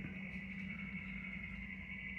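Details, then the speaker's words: 9K mini-split indoor unit running since 2017 (now 2024), about 83°F outside: soft, steady fan hum with a faint even hiss, no rattles or pulsing; running quietly and normally. "So here's my little 9K unit that's been running since 2017, I guess."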